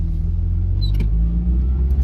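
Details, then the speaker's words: NA Mazda Miata driving slowly in first and second gear after adjustment, mic inside car: steady, even low rumble with no stumbles or knocks; engine smoother, acceleration linear. "and right off the bat the engine does feel smoother acceleration is nice and linear"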